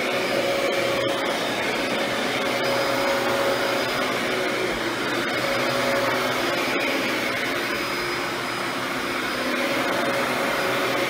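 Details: Mid-2000s Dyson DC14 Animal upright vacuum after cleaning and service, now reassembled and working perfectly; even, steady motor roar with a faint whistle and no grinding or surging while working the carpet, running properly.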